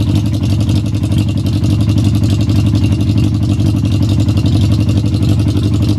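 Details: XJ600 inline four after fitting the fuel tap and fuel pump and priming the carbs for a suspected fuel starvation problem: it runs with a steady, even low thrum and a slight regular pulse, with no misses or stumbles.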